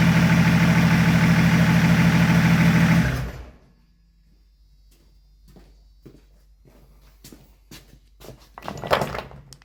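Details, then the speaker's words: BMW E36 Compact with freshly swapped-in replacement M57 diesel (replacing a 240k-mile M57 with valve float), first run after the swap with no intercooler pipework fitted, so not revved: even, steady idle with a regular beat and no knocking, then shuts off; normal idle. "Alright, as you see, it starts, sounds alright. There's no intercooler pipework or anything on it, so I didn't rev it up or anything."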